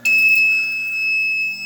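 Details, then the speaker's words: Fire alarm panel sounds a loud, steady single-pitch alarm tone after a newly installed pull station is tested. "You can hear it beeping from here."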